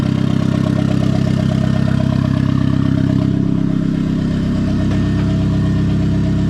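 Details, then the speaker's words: Turbo Miata first start with new bearings and hood dump pipe: fast, steady idle well above normal with even firing, because the idle air control valve was plugged back in but not set up in the tune, leaking extra air. "It has a high idle right now. And the reason why is because I did plug the idle air controller back in, but I don't have it set up. So I didn't tell the tune that I actually have the IAC hook back up."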